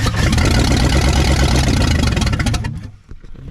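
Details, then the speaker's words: 1959 Ford Galaxie Fairlane 500 352 V8, first start in years after flooding, held at raised throttle: fires and revs unevenly with lumpy stumbling beat, then dies; runs rough, timing adjustment planned, cause not confirmed. "we're gonna we're gonna adjust on the timing a little bit and see if we can make it run a little better"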